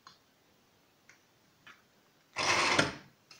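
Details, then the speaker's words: A few faint clicks, then a brief strong whirring as a KSB Multi Eco garden pump motor spins up cleanly, after replacing the failed 12 µF 450 V start capacitor that kept it from starting. "vous avez entendu le moteur c'est bien lancée donc j'ai plus qu'à remonter tout ça"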